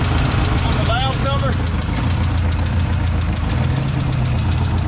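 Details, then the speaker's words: 1968 Ford F100 V8 at idle after a water pump replacement, smoking slightly from spilled oil: fast light ticking rides over a steady low idle, keeping pace with the engine; owner suspects an exhaust leak, not confirmed. "i still don't know what this ticking is now i'm thinking it's something in the exhaust maybe you hear that ticking feel that thinking that must be in the exhaust"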